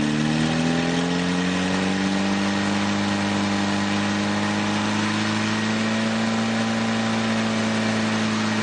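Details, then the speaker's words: Newly rebuilt 2.1L Triumph TR4A engine on first run test with a small radiator and a couple of oil leaks; settles from a fast start-up into a steady, even run with a clean tone and no knocks, normal running. "But anyway, let me start it up, and I'll run it for a few minutes and let you hear it run."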